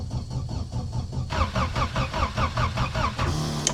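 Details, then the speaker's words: Diesel in winter, cold start after repeated glow-plug heating: starter turns slowly and evenly about two and a half turns a second, engine never fires; owner thinks it won't start, cranks but no start. "Nu, ziniet, man liekas, es viņu neiedarbināšu. Kas pa troksni? Bez dzīves pazīmēm."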